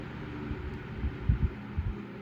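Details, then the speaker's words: Antique Emerson desk fan (model 2650-B or 2260-H), oiled, dropped from high to low: loses much speed, quiet low hum with soft slow throbbing thumps as blades turn lazily; normal for this fan on low. "see if it still loses that much speed it looks like it's going to I guess that's just what this does on L"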